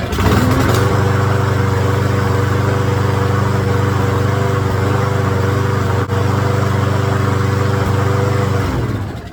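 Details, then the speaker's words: Craftsman push mower after carburetor cleaning: strong, even drone with a steady beat about four per second, holding speed cleanly until shutdown; fires up good, normal running. "all right let's go ahead and fire it up foreign well she fires up good"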